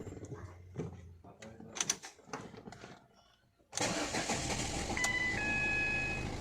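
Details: 2011 Ford Fiesta 1.5 TDCi diesel, earlier no-start with blank instrument cluster (U0155, cluster immobilizer); quiet clicks, engine catches quickly and settles to steady idle with brief chime after cluster repair; clean healthy start.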